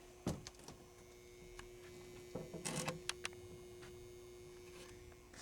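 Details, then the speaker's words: 1948 United Blue Skies electromechanical pinball machine appearing off but powered via the lock relay: faint steady transformer hum under scattered clicks and knocks; lock relay to be eliminated and power switch added for safety. "So it's actually powered up. If you listen close, you can hear the transformer humming."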